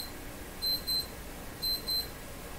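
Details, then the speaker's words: Alarm clock timer going off in a radio repair workshop during Philco 38 C7 tube radio capacitor work: paired high-pitched beeps, two short bursts about a second apart, repeating; a coffee break reminder, nothing faulty. "a coffee break indicator is telling me to go for a coffee break"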